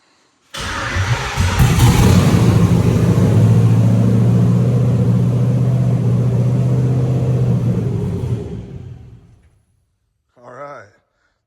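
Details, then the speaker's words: Freshly built LS engine in a 1984 Chevy K10 with carburetor and MSD ignition, first start on bad gas mixed with two-stroke oil: catches and holds a fast, steady idle well above normal, then shuts off; high idle, needs setting. "was not a bad first start up. She's a little high on idle. That's probably because it's new and it needs to be set."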